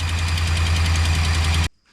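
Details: Ram just bought and shipped in: deep, heavy idle with a fast, steady knock on top, then the engine shuts off; the owner asks what the noise is, cause unknown.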